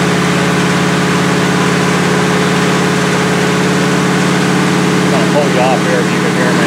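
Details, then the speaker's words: 1977 Chevrolet Malibu V8 on a cold start at about 57°F with a non-functional choke, held at high idle (about 2,200–2,500 rpm) for a 15–20 minute cam break-in; steady, even fast idle with no knocks or ticks, healthy. "So I'm going to go ahead and fire this thing up and idle it up and try to do another 15-20 minute run to try to break the cam."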